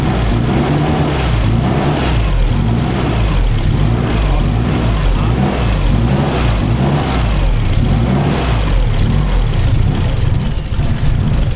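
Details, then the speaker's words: SR32 swap on a Link ECU, first start: loud rough low rumble with uneven pulsing; possible knocking suspected on first firing, not confirmed. "thought it was knocking. Huh? I thought it was knocking when it first went off. That was so bad."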